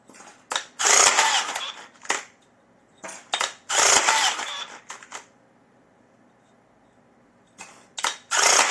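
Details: Electric rebar tying gun tested after repair with an ordinary spool from a general batch: sharp whirring bursts of wire feed and twist, each ending cleanly in a quiet pause; spool stops properly, wire doesn't unravel, normal tying.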